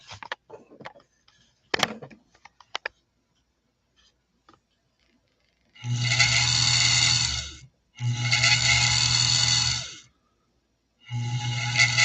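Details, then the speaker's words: Sewing machine motor run with main drive disengaged so only the balance wheel turns: short bursts of spin-up with a rough scraping hum over the whine, a little grinding as if something rubs at the output pulley; dry motor pulley grinding, likely fixable. "Can you hear that little bit of grinding sound? It's almost like something's rubbed. I think we can fix that pretty easily."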